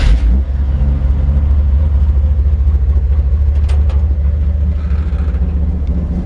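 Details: 1941 Chevrolet truck on a drive: deep, even V8 rumble pulling cleanly up through the gears with crisp exhaust and no knocks or misses; sounds healthy.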